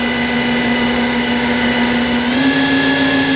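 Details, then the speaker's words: Haas VF5D/40 vertical machining center, spindle after a warm-up program, being ramped up in 10% steps from 1500 through 2000 to about 4000 rpm in a quiet room: clean steady whine rising in pitch, no grinding or rattle; normal spindle run-up. "It's nice and quiet here, so you can kind of hear it running. If I ever stop talking."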